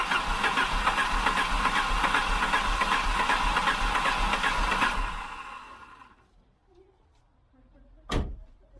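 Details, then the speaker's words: 1988 Volvo 740 GL, 2.3 petrol B230F, stored almost 10 years, old fuel diluted with fresh: steady starter churn at about two and a half turns a second for five seconds, never firing cleanly; long crank, slow to start. "she's trying isn't she"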